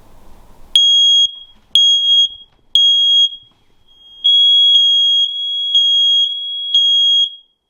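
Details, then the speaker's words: Newly installed First Alert smoke/CO alarm, replacing a 12-year-old Kidde unit at end of life, on test after activating backup batteries: shrill high beeps in two sets of three, normal fire pattern, then CO signal; working correctly. "sounds like the fire side of it is working there's the carbon monoxide there it is I think it's working"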